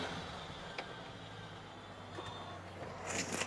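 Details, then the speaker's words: 1967 Chevy C10 pickup, three-on-the-tree three-speed, in neutral after fuel tank replacement, carb and intake/exhaust manifold gasket work and full tune-up: quiet, steady, even idle with no knocks or misses; owner says it has never sounded this smooth. "It's never sounded this smooth ever. From the from my childhood till now, it's just never sounded this good."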